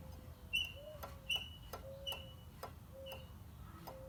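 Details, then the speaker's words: Vintage Craftsman table saw with integral planer, model 103.21840, after sharpening the knives: light metallic ticks with a brief ring as each knife just grazes the square. Knife height is set correctly. "You can barely hear it touching the square."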